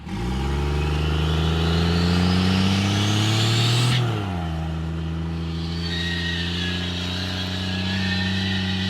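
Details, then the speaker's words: 12-valve Cummins diesel in a Cadillac on square-body Chevrolet frame, 5-ton Rockwells, 366 turbo, restrictive 2.5 in intake, 3 in exhaust, lacking power, at full throttle: hard drone with climbing turbo whistle that suddenly drops near four seconds; collapsing intercooler boot losing boost. "This thing has the strangest noise I've ever heard in a while. I'm going to floor it. I'm just going to keep it to the floor."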